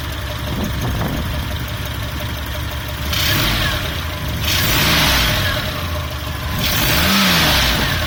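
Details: Volvo Amazon with B20 petrol engine idling then revving: a light, irregular clatter or knock rises with revs; owner unsure whether it comes from the valves; cause unknown.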